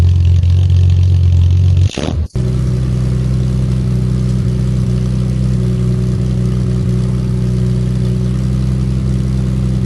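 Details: Triumph TR6 with a new stainless back box (40 mm perforated core, fiberglass matting, 40 mm tail pieces): brief blip, then a deep, steady, even burble at idle with no rattles or blowing. Healthy exhaust.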